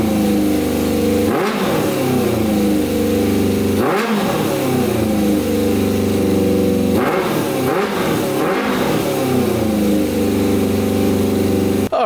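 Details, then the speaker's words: 100hp custom Yamaha Banshee two-stroke quad, tank filled, no fuel pump fitted; crisp idle with several sharp, clean throttle blips revving high and falling freely; normal idle and revving. "this thing sounds insane oh my god this thing is going to fly you guys hear that thing holy cow i'm really scared to ride this thing oh my that is just insane oh man that revs up so high too"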